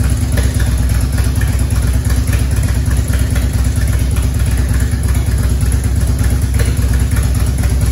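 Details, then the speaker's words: 1994 Harley-Davidson Evolution touring engine, over 70,000 miles, first start after top-end rebuild for base gasket leak, choked: steady V-twin idle with light regular tick from unsealed exhaust torque cones; no engine ticking, compression good. "all right we did it sounds good it'll take you from the exhaust I've not got it uh compressed up in there yet with those cone those torque cones in there so that'll take care of that they were coming just from the exhaust no ticking in the motor uh compression sounds great"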